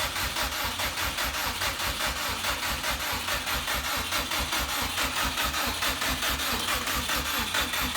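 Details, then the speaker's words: 2006 Subaru with swapped JDM WRX engine and 6-speed, start attempt after install, fuel primed, weak battery: fast even cranking that never catches; fuel smelled, owner suspected spark issue. "batteries weak I can smell fuel so it could be just a spark issue"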